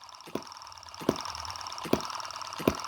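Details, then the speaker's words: Tiny Chinese M17 4-stroke gas hit-and-miss model engine: crisp, sharp ticks about 80 a minute. The spark plug is sparking during miss cycles because the added ignition switch (from an old CD player) was knocked; moving it back stops the ticking. "that was the sound of the spark plug sparking and that's what I put that switch in there to stop happening"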